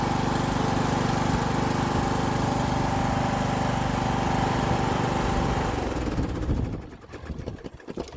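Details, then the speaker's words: Riding mower after clearing hydrolocked cylinder flooded with gas, third start attempt: fires and runs at even, steady beat for several seconds then shuts down cleanly, no stumble or knock; running normally so far. "all right take three got her so far so good"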